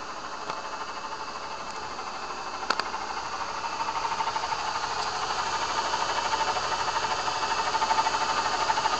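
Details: Vortech V2 SQ supercharger with shot bearings: a steady engine hum with a faint high whirring that grows as revs rise; bad supercharger bearings.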